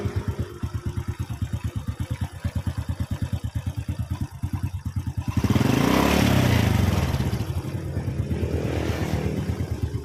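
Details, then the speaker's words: Honda Supra X motorcycle after replacing the worn connecting rod and crankshaft bearing (piston kept, lightly scratched): even single-cylinder idle, a clean rev and smooth return, no knock, no smoke; engine smooth again. "Nah untuk motor ini sekarang sudah selesai suaranya sudah halus kembali dan masalah ternyata cuma di bagian conroad yang mengalami aus"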